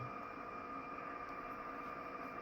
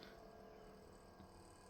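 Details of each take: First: Kenwood TS-940S receiver near a solar setup: constant hiss with steady whistling tones swamping the band; RF interference from solar inverter, owner shuts off array breakers. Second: Kenwood TS-940S internal fans running constantly on the 24-volt line to keep load on the pass transistors: low, even whoosh with faint steady hum, no rubbing or ticking; normal cooling fan running.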